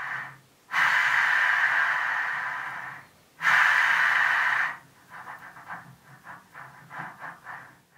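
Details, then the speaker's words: Land Rover LT230 transfer box bearing, removed and spun by hand on bench: gritty rushing whirr fading as it slows; not badly worn but noisy, due for replacement. "right so let's get on to the bearings now you can hear the state of these they're not badly worn but they're noisy"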